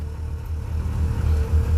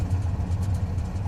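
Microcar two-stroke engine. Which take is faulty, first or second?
first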